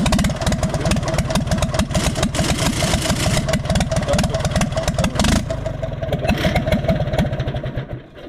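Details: Universal 550 tractor diesel with a heavy, uneven knock at idle, about two per second; blue puffs and misfiring at the exhaust and leaked fuel found, pump recently rebuilt; injector suspected stuck open, cause unconfirmed.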